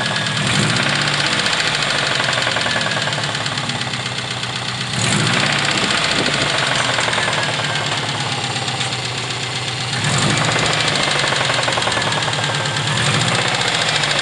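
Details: Subaru EJ20G engine at idle: sharp, bright, metallic knocking about four times a second over the idle; a clear engine knock, source undetermined.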